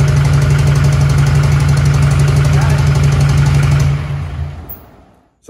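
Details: Newly built SoCal Diesel twin-turbo 1,000hp Duramax idling lumpy with a stumbling beat of about three per second, then shutting down. An infrared thermometer found three dead cylinders, traced to a wiring fault.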